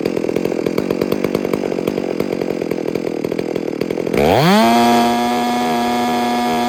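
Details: Rebuilt, built (modified) Garrett 460 chainsaw at wide-open throttle: choppy burble sweeps up to a clean, steady screaming pitch, high screw set counterclockwise until a faint sputter comes in; tach reads about 14,200–14,300 rpm high, 2,800 idle; correctly tuned carburettor.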